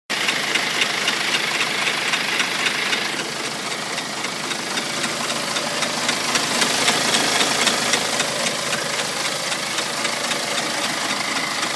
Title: BMW X1 20d (N47) Ticking Noise